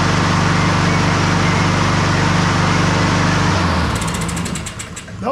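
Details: Honda push mower that sat a year and reportedly wouldn't crank, run to warm the oil before draining on a 55-degree day. The single-cylinder engine runs steady and even at a fast governed speed, then the note drops away; sounds healthy.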